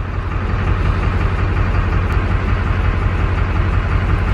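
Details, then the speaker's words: LB7 Duramax diesel truck revived after six years: low idle rumble with an uneven, stumbling beat about three a second; injector seven misfire code still present, one cylinder not firing cleanly. "well we got the truck to move under its own power but we believe that the victim is causing an issue because we're still getting the injector seven misfire"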